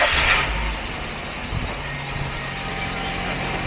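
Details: 2006 Suzuki Aerio four-cylinder just after alternator replacement: it catches and settles into an even, steady idle with no knocks, squeals or stumbles, charging at 14.25–14.3 V; running normally.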